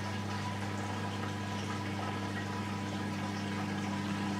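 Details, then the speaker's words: Whirlpool dishwasher with fault code 4, after unblocking the drain pump and cleaning the filter, test drain with door open: even, steady hum with water swishing through, no rattle or labouring. Drain pump working normally. "so I have the machine back together now and I'm just gonna Romish with the door open to see if it drains out properly"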